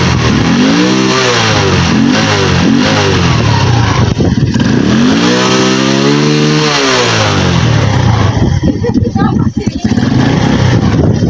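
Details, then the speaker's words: Carburettor-type motorcycle the owner says runs out of power and dies when revved and stalls when hot; kick-started and revved in a test. Revs climb and fall back cleanly with no stumble, bog or misfire: it does not lose power. "Hindi naman po siya kinakapos Okay lang po yung"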